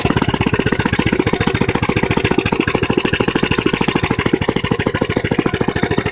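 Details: Mini bike single-cylinder engine idling and revving: steady rapid putter, loud and raspy; owner says it recently got louder, cause unknown.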